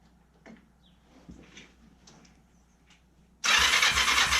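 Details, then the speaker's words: Kawasaki Ninja 500 that cranks but won't start (title says spark and compression present), stood upright with choke on. After a quiet lead-in the starter spins about a second with no firing; the owner doubts it has enough fuel, suspecting fuel starvation. "See if standing it up does anything. Throw the choke on. Now honestly, I don't think it's got enough fuel in it."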